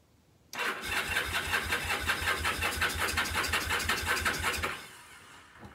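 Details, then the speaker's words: Kawasaki KZ750 rescued from scrap, cranking with carb cleaner sprayed in: steady fast cranking, about three beats a second, never catches; no-start, possibly no spark. "all right well I tried a little carb cleaner you know but no go so that leads me to believe we may not have spark"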